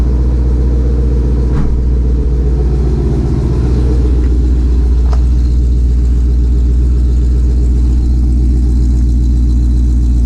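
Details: 2020 Shelby GT500 Mustang V8 after a Whipple 3.8 supercharger install, idling toward operating temperature: deep, steady, even rumble over ten seconds with no knocks, ticks or whine. Normal, healthy idle.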